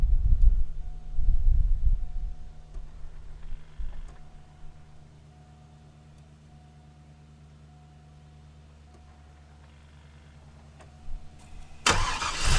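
Low, soft, steady rumble after the start with no stumble, misfire or ticking; the engine settles into a calm idle.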